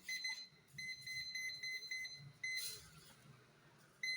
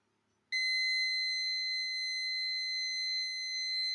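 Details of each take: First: Cheap parking sensor kit tested indoors with an obstacle about 30 cm away: shrill, high-pitched warning beeps about four a second. Distance reading is fairly accurate, but the buzzer is very loud and annoying. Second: Cheap online-bought car parking sensor under test: a shrill, steady high-pitched warning tone comes on abruptly and holds unbroken as an object is detected; normal warning.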